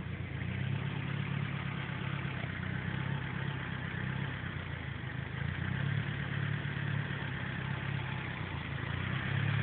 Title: Misfiring Idle on S14